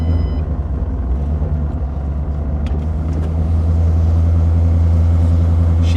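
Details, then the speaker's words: Cold start: settles quickly into a smooth, even low idle with no knocks, ticks or misses; healthy start, though owner normally finds cold starts poor. "good nice and healthy"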